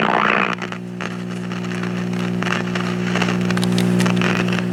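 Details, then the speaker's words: 1950s AA5 tube clock radio of unknown make with a Telechron clock movement, just plugged in. A loud steady low hum with faint crackle and no station audio (an antenna wire is disconnected); mains hum from bad filter capacitors, and the volume control is possibly bad. "I've already plugged it in, so we have bad filter capacitors in it, and possibly a bad volume control."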